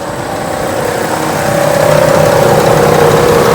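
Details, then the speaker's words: 1998 Ford Expedition 5.4 V8 after radiator replacement, warming up after about two minutes, heard at the front of the engine: fast, even light rattle of unknown cause; owner suspects the water pump, possibly a pulley or tensioner, not the alternator. "i'm gonna let y'all hear it uh making a rattling noise um i don't know what it is i don't know if it's the water pump or not y'all tell me what y'all think"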